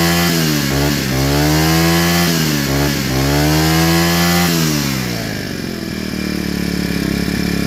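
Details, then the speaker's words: Four-stroke brush cutter after fitting a new carburetor (old one worn with age caused hard starting and stalling at idle): picks up cleanly, revs up and down smoothly twice, settles to a steady even idle without hunting or stalling; normal. "หลังจากเปลี่ยนคาร์บูตัวใหม่เข้าไปนะครับก็สามารถสตาร์ทติดง่ายอ่าติดง่ายเดินเบาได้แล้วก็เร่งได้ได้ปกตินะครับ"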